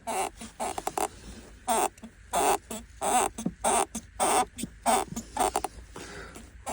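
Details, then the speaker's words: Tank 300 cabin grab handle: sharp, chirpy squeaks in bursts as the handle is worked, not cured by tightening bolts; caused by a paper sticker/trim rubbing against the glass, fixed by running a plastic card along it. "была такая проблема у меня поскрипывать вот подтягивался болты подтягивался не проходил"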